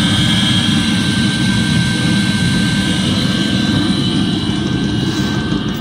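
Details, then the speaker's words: Eberspächer D5WZ parking heater on a 1.9 TDI Galaxy/Sharan/Alhambra after repair: an even, steady burner and blower roar with a faint constant whine, fuel pump audible, no surging or popping, no visible smoke; normal. "D5WZ operation after repair :) there must be no visible smoke during operation :)"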